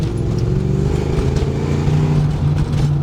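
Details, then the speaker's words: Saleen Mustang back on the road after sitting for years, first drive in five years: the engine revs while a loose, uneven rattle from the rear hatch shaking in its frame rides over the exhaust note. "It would sound much, much, much better if we didn't have the rattling in the background, though."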